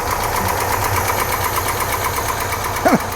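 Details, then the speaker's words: Old International Scout V8 at idle just after fixing the pushrods and a spark leak at the distributor (seen glowing in the dark shop): even V8 burble, no dropped beats, brief squeak near the end; now running on all eight cylinders instead of seven. "Notice how much better it instantaneously runs. It's funny when it's running on eight cylinders instead of seven."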